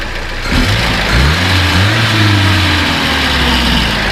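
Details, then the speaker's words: 1979 Datsun 620 King Cab pickup, original carburetor swapped for a Weber with a modified air cleaner after backfiring issues: smooth idle picks up into an even rev and settles back with no knocks, misses or roughness. Healthy engine. "You know, it runs really smooth, sounds good. Go ahead and rev it up a little bit."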